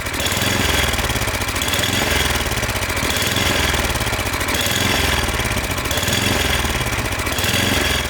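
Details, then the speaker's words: Snowblower small engine surging at idle, rising and falling about every second and a half; owner hopes cleaning the air intake will fix it. "It's surging when it's idling, and we're going to see what we can do to fix it."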